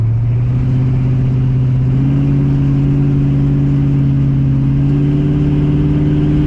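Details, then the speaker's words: TH350 automatic transmission after governor gear replacement, new filter and fluid top-up, test drive: engine note climbs then drops cleanly as it upshifts firmly, all three gears, no slipping or flare; normal shifting. "actually it still shifts nicely doesn't slip or anything stupid like that"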